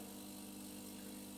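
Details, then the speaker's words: DeLonghi EVO (FEB292/293/294, no milk jug) during descaling with DeLonghi descaler: steady low hum with some hiss, no rattles or surging; water drains via overpressure circuit into cup tray, so pump is working normally. "Donc là, il ne faut pas s'inquiéter, la pompe elle fonctionne, il y a de l'eau qui s'écoule, mais l'eau elle s'écoule dans le support de tasse qu'on videra après."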